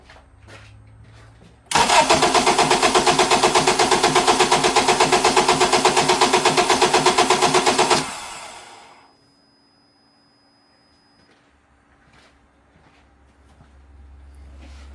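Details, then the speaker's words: 2007 Acura TSX with crank-no-start, no check engine light, cranked with coils pulled and plugs left in: starter turns it about six seconds with an even, steady beat near three per second; compression sounds even, yet it won't catch. "This sounds good. We heard it when I pulled the coils, left the plugs in there. It has a really good harmony. It's just not trying to catch for some strange reason."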